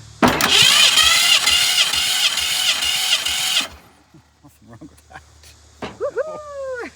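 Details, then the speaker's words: 1965 Ford Fairlane barn find, sitting since 2001, cranked with oil added to the cylinders and the throttle open for a compression test (about 160): a healthy starter whir of about three and a half seconds with an even compression rhythm; normal cranking. "Oh, that sounds good, too. >> Yeah, it turns great. >> Starter sounds nice."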